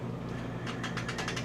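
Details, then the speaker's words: Dometic 1400/1450 RV roof vent fan (Fan-Tastic) reassembled after cleaning: steady fan hum then fast buzzing rattle, about eight pulses a second, because the screen is pushed in too far and vibrates; popping it out a couple tabs fixes it. "I've noticed on these, I've had this problem with all of them. It's like if that screen gets pushed all the way in, you wind up with this vibrating noise."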